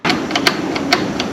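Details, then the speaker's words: Generator carburetor fuel shutoff solenoid, new part bench-tested with 12 volts on its thin feed wire, solenoid wire disconnected: sharp crisp clicks about every half second as the plunger snaps in and out, showing it works properly; the old jammed one does nothing. "every time I touch 12 volts to it, you can hear that plunger inside going in and out. That means it's working properly."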